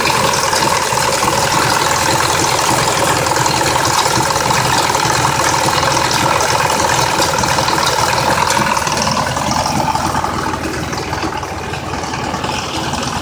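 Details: 2004 Mazda 6s 3.0L V6, 170k miles, new plugs and coils, pre-cats just replaced after being nearly fully clogged: uneven idle with loose ticking rattle about three per second; owner suspects the bank 2 VVT solenoid needing replacement, unconfirmed.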